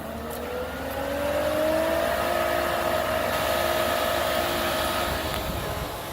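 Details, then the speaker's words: Pentair 3 hp variable-speed pool pump with a cartridge filter, switched on to quick clean. Smooth motor whine rises in pitch as it ramps up, then holds an even tone; the pump is running normally. "In this case, we've got a Pentair 3-horse variable speed, and we're going to just turn it on and then hit quick clean."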